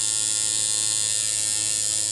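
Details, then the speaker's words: Coil tattoo liner machine on a switchable 10-turn potentiometer power supply set to liner: high, even buzz with no stutter or rattle, armature bar moving steadily and consistently between two points; running smoothly, well tuned. "can hear this running smoothly, and you can see that basically the armature bar where the needle attaches right here will move in a very steady and consistent way, showing you basically there's 2 points."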